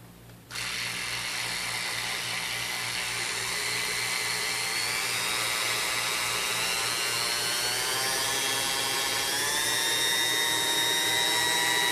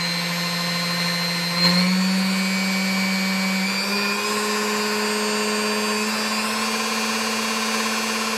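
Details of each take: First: Vintage Sunbeam Mixmaster Model 9 that sat unused a long time, run through its speeds before restoration. Even motor whine slowly climbing in pitch, labored to reach speed; it drags and the speed cap is very hard to turn, likely hardened grease. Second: Vintage Sunbeam Mixmaster Model 9 after restoration: smooth steady motor hum stepping up in pitch through the speeds, with no dragging or labouring. Normal run.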